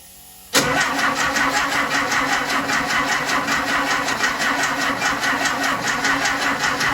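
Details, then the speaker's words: 1968 Porsche 912 air-cooled engine, freshly reinstalled, second start try. Steady rapid starter churning about six beats a second that never fires. Owner suspects a weak battery, valves not yet adjusted. Cranks but does not start. "no luck right now kind of sucks but i'm gonna try it again man"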